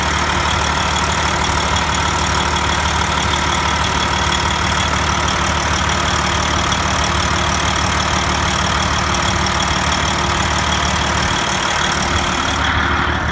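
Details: Detroit Diesel 14-liter in a Freightliner, overhauled in frame with the head overhauled twice: steady idle with a faint metallic ticking about three a second, heard at the exhaust pipe and, by stethoscope, at the manifold. Shops call it normal; owner disagrees.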